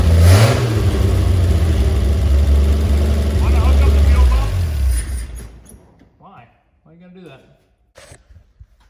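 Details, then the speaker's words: 1950 Chevy 3100 pickup old six, first start in 35+ years, catches and runs with a low, fairly even rumble for a few seconds then dies; points badly need replacing, so it runs briefly then shuts down. "So there we have it. The old Chevy does run. Points need to be replaced so badly that it runs for a few minutes and then must get some junk in there and shuts her down."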